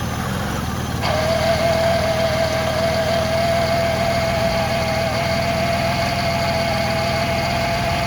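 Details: 2006 Ford Freestar 4.2L with freshly replaced power steering pump, idling while wheels are rotated to bleed system: even idle with faint steady mid-pitched whine from about a second in; normal pump whine.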